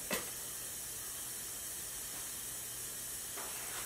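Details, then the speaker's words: BMW E36 M3, S52 engine consuming heavy oil with metal particles; leak-down on cylinder 4 at TDC compression: steady hiss of large air flow out of crankcase, oil gurgling at pulled dipstick; heavy blow-by, piston rings suspected, not confirmed. "there is a large amount of air coming out of the crank case and if I pull the dipstick you will hear the oil gurgling"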